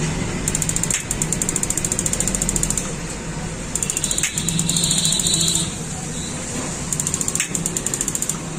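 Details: 6-litre gas geyser that would not start: bursts of rapid, even spark ticks with pauses over a low hiss as the sensor magnet is slid up and down, and it fires properly. The magnet is likely jammed inside by dust or debris.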